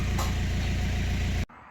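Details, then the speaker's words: BMW 118d/120d with two-litre N47 diesel, red oil pressure light and no brake pedal: idles with a heavy, regular deep knock, loud and uneven, then cut off; serious internal knock, engine possibly dead, cause unclear. "today's episode on World Drive M we are going to try to save this one series uh this one has a two liter diesel engine with a very bad knocking sound no brake pedal and oil pressure light so it's my it might be dead but let's try to save it can you hear the noise from the engine oh my freaking God is going to blow up"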